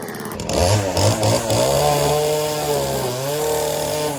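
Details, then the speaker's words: Stihl FS 40-C string trimmer with opened-up muffler at full throttle: revs snap up clean, then hold a high, steady buzz under cutting load, dipping slightly without bogging; healthy, well-tuned. "watch it doesn't even bog down"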